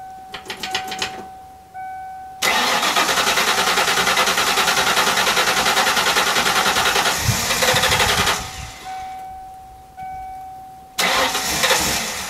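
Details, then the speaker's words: 1995 Mustang Cobra after old fuel drained, fresh fuel and new fuel filter fitted, air in lines: long bursts of fast, steady cranking with pauses, never catching cleanly; slow to start while priming, fuel delivery suspected. "gonna have to prime the pump Prime the lines because all the air got in there while I was draining the fuel samples out so we'll see what happens hopefully it starts up"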